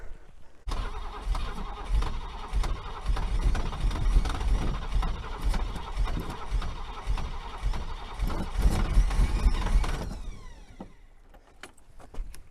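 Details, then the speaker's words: 1964 Buick Riviera that sat 23 years in a field, cranked in pouring rain with a little gas. It catches, runs rough and uneven for several seconds, then dies; it won't stay running, and the ignition timing is noted as very advanced. "let's see if it kicks over it's getting there it's getting there it's really the timing is really Advanced I don't know why that is but it is really Advanced"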